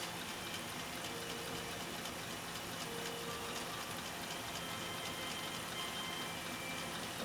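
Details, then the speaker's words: Husqvarna Viking 2000 sewing machine in slow gear (gear reduction), sewing full grain leather: quiet, even whir with light, regular needle ticks at a slow, steady pace, no knocks or grinding. Runs smoothly. "and again we've engaged our slow gear so you're gonna hear that the machine sounds different when it's running it's gonna sound different because that that speed of the machine is being back by the gear reduction"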